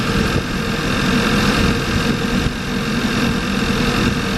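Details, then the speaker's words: Audi A4 B8 TSI at idle after start, with white smoke and raw fuel smell: uneven, lumpy, hollow idle; codes show random multiple-cylinder misfires including cylinders 1 and 2, attributed to bad injectors; an engine mount also bad. "so it's not just one of them misfires it's not just one of the misfire and it's been pretty much all of them all over"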